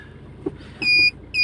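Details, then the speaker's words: Maruti Swift after gear-wire repair for a gear-not-engaging fault: two clean, steady high-pitched quarter-second beeps on selecting reverse; the reverse warning now works normally, where before it made a "tu-tu" sound. "अब, यहां reverse gear की आवाज भी सुनिए। क्या आपने reverse gear की आवाज़ सुनी? पहले यह "तू-तू" जैसी आवाज करता था।"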